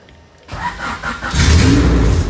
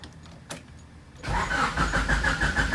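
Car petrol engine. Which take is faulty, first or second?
second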